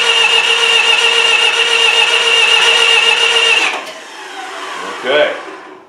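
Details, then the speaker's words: Miller Wildcat 350D diesel engine welder, high-pressure injection line cracked open to check fuel: starter cranks steadily but it never fires and no fuel comes out; fuel solenoid suspected, a fuse had blown. "I'm going to crank it over and you holler at me if you see fuel there, cuz I might not be able to see it."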